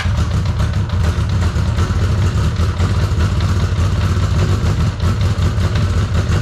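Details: 1983 Honda CB750 sitting at least 10 years, running on an external fuel source after first start: steady low rumble with slight lumpiness, keeps firing on its own and idles without stalling.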